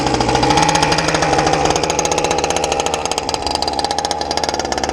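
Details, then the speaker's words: RC gas boat skiff, clutch-equipped two-stroke with water pump, after turning the low-speed needle slightly counterclockwise. Crisp buzzing engine drops and holds a steady, even idle without sputtering; normal idle, hull running a little dry. "But that's idle, right? Which is perfectly fine, because this one has a water pump. It can sit there all day."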